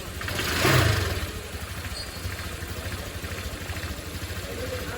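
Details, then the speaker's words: Motorcycle CVT after cleaning and reassembly with front and rear pulleys tightened by impact and cover refitted: a short rev blip, then a soft even idle with no rattle or squeal; no looseness or noise from dirt, normal idle. "Hasilnya yaitu tidak terjadi pelonggaran atau terjadi bisikan karena kekotoran."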